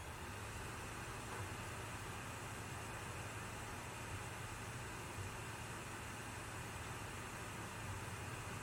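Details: Sony PS5 console: soft, even airy fan hum with no rattles, surges or whine; normal console fan noise.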